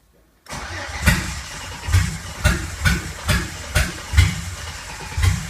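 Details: 2008 Silverado Vortec V6 swapped into a 1987 4Runner, MS2 Megasquirt with logic spark outputs firing coil pack, 60-2 reluctor: steady cranking with sharp pops about once a second that never catch; misfires and backfires while cranking, no start.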